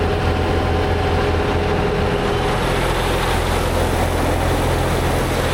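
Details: Tractor-driven batwing brush cutter after gearbox repair with a $300 aftermarket part and fresh gear oil, lowered and run: steady, even drone with no knocking, clunking or grinding; gearbox running healthy, normal operation.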